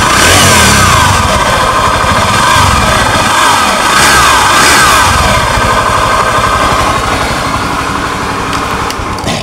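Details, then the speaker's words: Honda Scoopy ESP scooter with CVT cover removed, gearbox separated from engine: high whine rising and falling with engine speed persists, so it comes from a worn crankshaft bearing at high revs; engine to be split. "jelas setelah bagian CPT dilepas ini suaranya masih tetap tidak hilang berarti jelas permasalahannya berasal dari putaran lahar kerk as"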